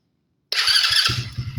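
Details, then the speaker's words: Coleman AT125 Chinese ATV after new intake, airbox and carburetor and a throttle cable adjusted so it no longer held a high idle: engine catches at once and settles into a steady, even idle with no engine noise. "starts good idle's good now that I got the bike running good and also no sound in the [Music] engine"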